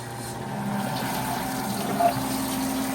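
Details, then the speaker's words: A 90-year-old Gilbarco GMB 80 gas pump, rebuilt and pumping diesel on its first test run: the motor comes up to a steady, even hum with a faint liquid rush and no knocking or grinding. It runs and pumps normally. "we've got it going. Woo! Yes, she's running and she's pumping. She's fully operational."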